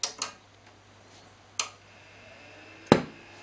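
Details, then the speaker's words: Matrix GT800FX 400-watt power amp switched on: a few light clicks, then one sharp but small pop over faint hum and soft fan rush; fan noise modest, normal switch-on. "there you go little pop um not huge by any means now that fan noise i'm kind of whispering and i'm the same kind of distance away it's not excessive"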